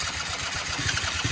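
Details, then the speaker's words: Quad that hasn't run in a while, cranking on a battery charger: short, uneven low chuffs about eight a second as it tries to fire but never catches; not running yet. "oh there she goes oh he's trying to start boys oh come on old girl"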